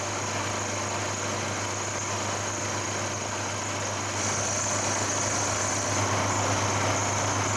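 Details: Milling a slot toward 22mm depth in 5mm passes in a malleable iron base for a lathe rear parting tool holder, using a resharpened carbide end mill that had broken. Steady hum with fine, even cutting chatter. Normal slot milling cut.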